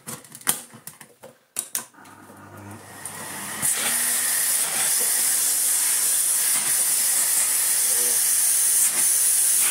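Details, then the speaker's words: 1990s Philips Blue Magic Silence TC739 vacuum cleaner after reassembly with a HEPA-flow bag: the motor settles into a steady, high, airy hiss; air leak at an air hole, owner suspects something was put back wrongly during reassembly. "okay there's a little bit of an air leak coming from somewhere let's take this off and see if it's something"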